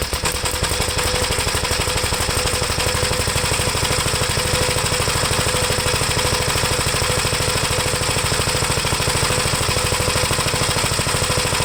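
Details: 1973 Gravely C8 single-cylinder after magneto removal and points cleaned and gapped: steady even chugging about three beats a second near idle, no misses or knocks, oil pressure up: normal running.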